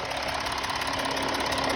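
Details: Audi Q7 diesel at idle: steady sharp hiss around valve covers from leaking injector seals letting combustion gas escape; valve covers also leaking; fix is resealing all injectors.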